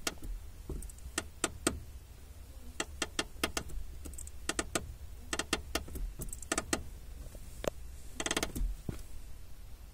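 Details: 2005 Honda Civic clutch pedal: sharp dry clicks, often in pairs, on each press, felt at the pedal; lubing didn't help; caused by the overtightened lower clutch master cylinder mounting bolt, gone after loosening and retightening with less torque.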